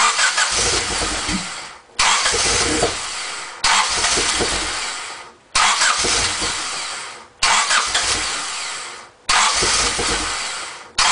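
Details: Honda Civic EX coupe that would not stay running: six cranking attempts of about a second and a half each, the starter spinning the engine but it never catches; cranks, won't start.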